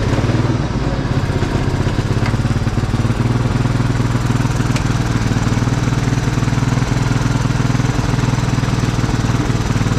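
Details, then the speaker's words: Cub Cadet riding mower that sat abandoned for years with a locked-up engine, now freed and running. Loud, even single-cylinder chug with no knocks; it runs smoothly, though it smells hot and sizzles and the battery isn't charging. "got the engine unlocked got it running and riding around"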